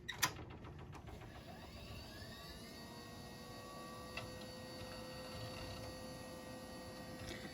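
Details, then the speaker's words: Maxtor hard drive of unknown capacity, possibly over 8.4 GB, spinning up: clicks at start, then a smooth rising whine settles to a steady tone with a couple of light seek ticks. Normal, healthy spin-up. "healthy enough not sure what the capacity of this drive is"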